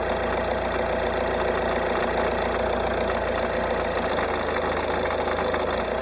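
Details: Peugeot 308 1.6 HDi 90 hp diesel, 66,000 km: fast ticking clatter over diesel rattle only when cold at idle, about 820–825 rpm, gone above roughly 880–900 rpm; source not pinned down.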